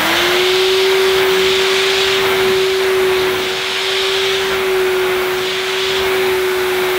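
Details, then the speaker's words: Vintage Miele De Luxe S126 stick vacuum, 800 W: clean, steady high hum with constant pitch and airy rush, no rattles or wavering. Motor runs healthy, sounds quality. "but that motor that sounds quality fantastic"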